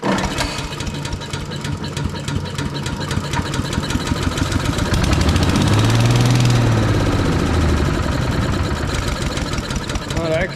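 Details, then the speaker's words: Briggs & Stratton single on an Agri Fab Mow & Vac leaf vacuum, owner suspecting the cam out of time, fed fuel directly into the carburetor after compression was raised: catches and chugs slightly unevenly, about four beats a second. "fired up that's kind of strange I don't know if that decompression is just that good we did up the compression"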